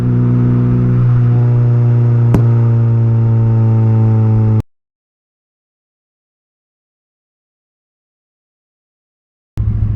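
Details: Honda K20A2, first drive, revved to 8,000 rpm through first to third: strong even exhaust note held at high revs, clean steady tones, no knocks, then cuts off; possible O2 sensor or relay fault noted; normal revving.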